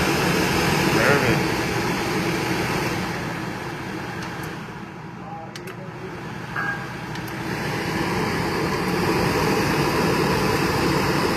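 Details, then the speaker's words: Miele range hood fan after its seized-bearing motor was replaced with a new one: steady, airy whoosh at an even level with no grinding, squeal or bearing rumble. The fan runs normally after the repair. "So, the new motor is installed. That's the old one right here. Just going to give it a test. Turn it on."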